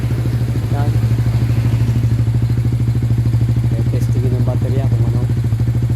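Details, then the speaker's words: Motorstar motorcycle with freshly cleaned carburetor: uneven putting beat with stumbling firings when revved; misfire traced to weak battery (about 1 volt) starving the ignition. "Sobrang palado guys kasi ng karburador lang ito guys kaya pa kung ano parang kinakabos yata sa kuryente."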